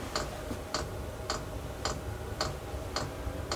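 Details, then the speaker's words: Chinese diesel heater after replacing noisy worn fan ball bearings, about 30 seconds after switch-on; the pump worked out an air bubble from the removal; crisp ticks about twice a second over a soft fan rush. Normal fuel pump clicking. "uh turned it on about 30 seconds later you can hear the fuel pump starting to go it looks like it worked an air bubble out that that appeared because of removing the"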